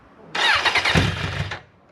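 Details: Mk1 Suzuki Bandit 1200, 19,000 miles, cold start: starter whirr catches into a brief rough burst of running on choke, then falls away; owner says it has needed choke for a while; ordinary cold start.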